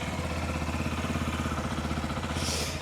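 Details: Keeway RKR 125 single, started on a booster pack after fresh spark plugs replaced crusty ones: it fires and settles into a steady, slightly uneven, somewhat hesitant putter, with the battery charging.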